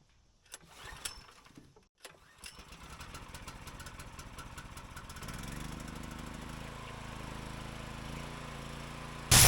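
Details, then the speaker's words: Harbor Freight Predator 13 HP 420cc OHV gas engine on a budget pressure washer, started with choke set, throttle up, ball valve fitted and gun off: pulls over a few times, catches and runs steady and even; normal start. "There's no battery, so you just turn it on, and now it's ready to run."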